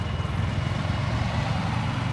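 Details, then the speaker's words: Yamaha R15 V4 that used to stall every 1–2 km while riding, road-tested after the fuel filter was sorted (the dealer had blamed the fuel pump): a steady, even engine note with no stumbling or cutting out. Normal running, the stalling fixed. "अब बिल्कुल smooth bike चल रही है भाई। बिल्कुल भी बंद नहीं हो रही।"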